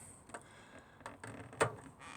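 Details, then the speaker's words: Burstner motorhome fridge switched to gas: a few sharp clicks about every half second in a quiet room, the normal igniter sparking to light the gas burner. "for the gas you'll hear the clicking on unlike Natan"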